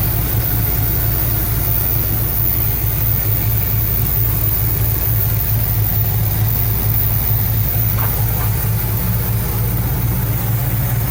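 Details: 1975 Cadillac Fleetwood V8 idling about 5 minutes during valve cover gasket replacement, being checked for oil reaching the top end (it does). Steady, even low burble with no knocks or misses; normal idle.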